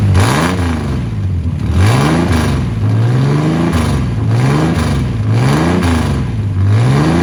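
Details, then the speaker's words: 1979 Ford Capri Mk3 3.0 Ghia, barn find revived after about 20 years, fed from a jerry can and run briefly with no coolant: repeated blips from idle, pitch rising and falling cleanly with no knocks, misses or rattles; engine healthy. "Pretty much it. Got it running, that was the goal. We know she's good, we know the engine's good."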